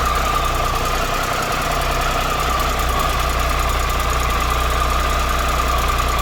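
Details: 2013 Triumph Tiger Explorer triple at 34,000 km, idling after new cam chain, hydraulic tensioner and exhaust header gaskets: smooth steady idle with a faint even top-end tick and no heavy rattle. This is normal valvetrain noise, though the owner notes the tick persists, only slightly less.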